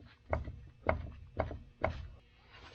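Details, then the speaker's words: Takeuchi TL8 skid steer, track tension backed off: four dull clunks about half a second apart as the front roller/idler is rocked by hand; play from a worn front roller needing replacement. "Alright, so you can hear the play in this one, so that means I got to get one ordered for this side as well."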